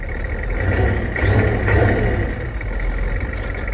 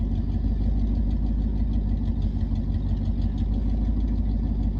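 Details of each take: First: 1986 Ford F250 6.9 turbo diesel, just started after water-contaminated oil was changed; no coolant, slightly smoky. A deep, even diesel rumble swells briefly with a light rev and settles back smoothly; normal idle. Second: 1989 Ford F-150 EFI truck idling in the background: a low idle at roughly three pulses a second that lopes and stumbles unevenly rather than running smooth; rough idle, cause unclear.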